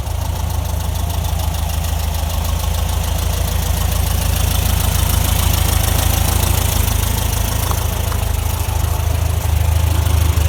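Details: 1968 VW Beetle semi-automatic (AutoStick) transaxle at idle: low drone with a rough, uneven knocking rhythm throughout from the drivetrain; noisy transaxle, cause unknown.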